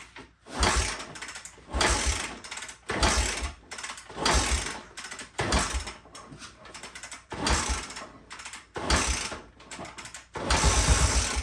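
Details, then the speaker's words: 1974 Honda XL 250, seller says only 60 psi compression, owner suspects a bad valve or piston ring; no fuel in it, choke pulled, parts cleaner sprayed in: rapid kicks give brief churning bursts that only just cough, never running on. "Oh yeah, we got a little kick over. We got a little bit of something"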